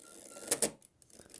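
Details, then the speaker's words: Mamiya RZ67 film back, advancing loaded film: a few sharp ratchet clicks and uneven light ticking as the drive slips; the cocking lever skips on advance. "something is skipping i'm just looking to see if it's maybe if it's here that is skipping or if it's actually the the cocking lever"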